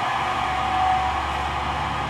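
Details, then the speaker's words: Pacemaker lathe drive motor, believed to be 440 V and run through a transformer, spindle off: constant airy hum with a thin whine over it; the motor was screaming and smelling of burning electronics, suggesting a worn bearing. "heard a really bad sound so I walked over here and realized it was the lathe motor whining and screaming and it was actually starting to smell like Electronics"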